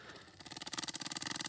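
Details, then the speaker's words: BMW N52 DISA valve electric motor on the bench, soaked in oil with more added: buzzing in quick even pulses, about fifteen a second, turning even slower; oil fouling the motor slows it. "As you can hear, it's spinning way slower. Let's give it a little bit more oil, see how much we can do. How about we leave the oil in it even slower?"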